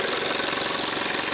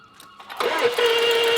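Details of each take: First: Range Rover Evoque 2.0L petrol turbo, stolen and recovered with damaged wiring, no-start fixed by replacing a fuse: a steady, even idle with a smooth, unbroken hum and no knocks or misses. Normal idle. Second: Stolen-recovered Range Rover Evoque, 2 L engine with wiring damaged by thieves: starter whirs steadily about three turns a second for two seconds, engine never catches; suspected no compression, worn-out engine; cranks but will not start.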